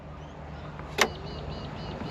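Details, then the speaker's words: Toyota Landcruiser HJ75 diesel parked about a decade on a farm, key on: heater blower fan on low gives low hum with light quick ticking; preheat light only comes on when fan turned off; owner suspects a ground fault. "so you could hear it just ticking away like that but the minute I turned it off my glow plug light came on"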